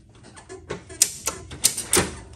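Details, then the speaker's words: 1970s EZGO golf cart with brand-new battery: several sharp, irregular solenoid clicks over near silence, no motor spin; internal starter-generator won't turn unless rotated by hand to free it, slightly better in reverse. "You can hear the solenoid kicking, but watch this."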